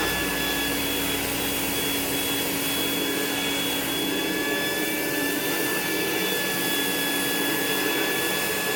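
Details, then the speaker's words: Rainbow E2 Gold two-speed vacuum cleaner after rebuild (HEPA filter, belt, brush roll replaced, motor parts washed, lower motor bearing repacked) and with water in the basin: smooth, even motor whoosh with a steady high whine, no rattle or grinding; normal running. "so now it's running just like it should it runs perfect"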